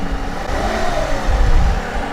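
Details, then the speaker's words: V6 vehicle with battery deliberately drained, jump-started with JFEGWO 4000A Pro pack: engine fires, settles to even smooth run with light rev, no knocks or misses; normal running engine. "all right so as you can hear the vehicle started but what you want to do is you want to leave the car running for maybe 20 minutes so that the alternator can recharge the battery"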